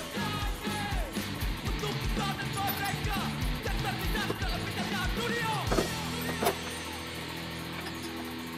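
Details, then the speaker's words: Yamaha Xeon GT125 scooter that was hard to start, after the spark plug was cleaned and sanded: engine catches immediately on the electric starter and settles into a steady, even idle. "Alhamdulillah langsung tokcer guys distater aja dia langsung hidup"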